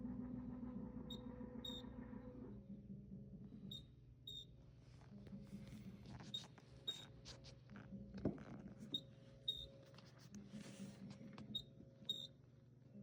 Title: Frigidaire chirping noise